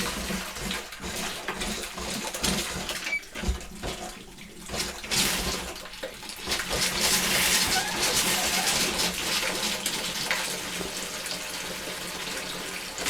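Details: 2001 Bayliner Ciera 2655 liveaboard, after replacing the 24-year-old water pump and repressurizing: sink hot faucet spits and surges in uneven bursts instead of running smooth, likely air trapped in the hot line; sputtering faucet.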